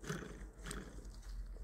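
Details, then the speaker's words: Kia Stinger with under 22,000 km: the electric steering rack makes a low, rough rumbling hum when the wheel is turned, clearly a disintegrating bearing inside the rack. "w tym przypadku to ewidentnie te łożysko Huczy słyszycie no idea identyczne dźwięk na samochodzie"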